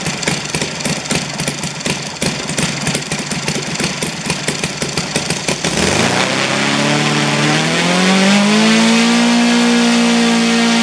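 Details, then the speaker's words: Saito FG-60R3 radial engine on bench stand after ignition flange swap with new magnet arrangement: small revs with uneven pulsing beats then steady high whine, still vibrating; uneven fuel distribution, one cylinder running rich. "I found that fuel distribution is not even also the third cylinder is uh aro"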